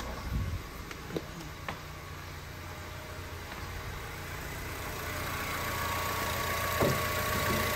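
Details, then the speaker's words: 2007 Honda Civic (8th gen), after repair of the AC that would not turn off. The engine idles steadily and evenly with the AC switched off, and there is no compressor clutch engagement or extra load. Normal idle with the compressor off. "Yep, that's off."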